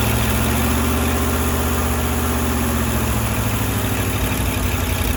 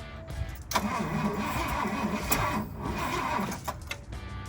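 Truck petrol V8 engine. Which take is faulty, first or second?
second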